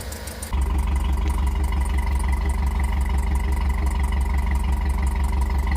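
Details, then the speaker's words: Cammed Tahoe with DOD delete kit, cold start: quick regular ticking rides on a choppy cammed idle, steady with engine speed. An exhaust leak, louder than before; owner suspects the header gaskets. "and so there's that thing I called an exhaust leak and it's louder now so I know for sure has to be an exhaust leak"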